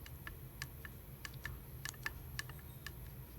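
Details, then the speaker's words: Solex carburetor throttle worked by hand: sharp irregular clicks and light rattles from worn shafts and bores; the second barrel does the same, which affects idle and adjustability. "Manny, the shafts are worn, and the body is worn so that these things click, make noise, which maybe you can hear"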